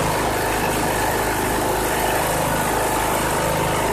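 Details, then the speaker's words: 2014 Troy-Bilt Bronco 13WX78KS011 with a Kohler 17 HP Command engine, test-fired after a new carburetor replaced one with a failed fuel shut-off solenoid, choke held by hand; even, steady idle with no surging or knocking, sounding healthy. "Awesome. Wow, that engine sounds good."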